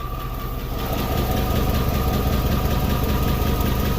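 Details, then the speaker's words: 2004 Chevrolet Suburban 6.0L V8 4x4 at cold start has a fast even ticking rattle from the valves; lifter bleed-down and a valve sealing issue cause the rough starts, and the purge valve was also found stuck open. "it sounds like a like the valves are rattling it's all about faint noise"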